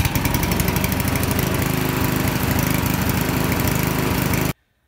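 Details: Honda GX-series (GXV120/GXB140/GXB160) lawnmower engine after ignition coil replacement for no-start, no-spark: small single fires up on choke and chugs evenly at a steady beat until shut off; running healthy.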